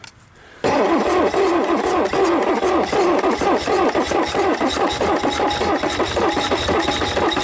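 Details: Champ forklift with Perkins 6.354 diesel, first start in years after freeing a stuck engine: silence, then it catches and settles into a busy, uneven clatter at steady speed and keeps running.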